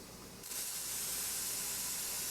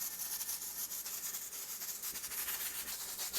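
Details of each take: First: Traditional stovetop pressure canner venting before the weight goes on: after a quiet start, a constant even hiss with no sputtering or spitting; steady steam venting, ready to start timing the vent. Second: Stovetop pressure canner below 1,000 ft with a 10 psi weight, gauge slightly above 10: constant hiss with rapid rattling about three a second as the weight jiggles nonstop; pressure too high, fixed by turning down the heat.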